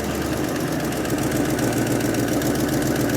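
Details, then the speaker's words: 1980 Ford Mustang V8 first running after 22 years stored: lumpy, uneven idle with irregular low thumps three or four a second; rough idle, suspected dead cylinder. "I'm going to see if I can change the idle. See if we got a dead cylinder."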